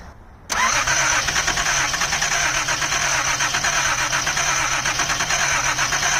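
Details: 1979 Datsun 280ZX after replacing fuel injectors: starter cranks fast and steady with even compression pulses but never catches; crank-no-start, too much fuel, spark plugs replaced next.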